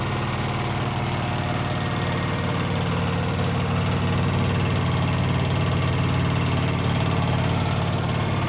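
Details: Blomberg washer, example 2, warranty repair requested: loud, steady engine-like rumble with a fast pulsing throb through the spin, something in the drum or drive running rough; source not identified.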